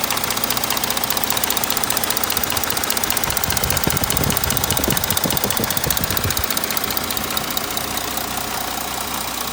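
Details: 3.0 TDI diesel at idle, not yet repaired: a clear, regular ticking knock rides over the idle and is loudest midway; abnormal engine knock, cause still undetermined.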